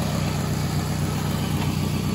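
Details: 2004 Toyota Camry after the transmission swap, idling in park with transmission fluid found low: steady, low, even idle with a regular beat and no knocks or misses; engine and transmission sound healthy.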